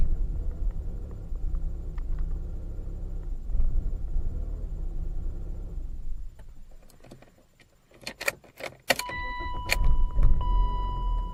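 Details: 1998 BMW 318ti E36/5, M44 1.9 L four-cylinder: irregular, stumbling idle, then shutdown and a door chime; caused by a failed camshaft sensor, fixed by replacing it, though the idle stayed slightly rough afterwards.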